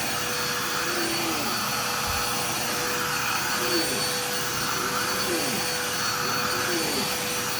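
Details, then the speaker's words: Dirt Devil Power Express basic upright running: high-pitched whine with strained, choked airflow note and faint wavering; sounds a little clogged, belt obviously worn out; needs new belt, possibly unclogging or filter cleaning, cause unconfirmed. "sounds a little bit clogged and it very obviously has a worn out belt so I'll need to put a belt on that and possibly unclog it or maybe just clean the filter maybe that's why it sounds clogged who knows"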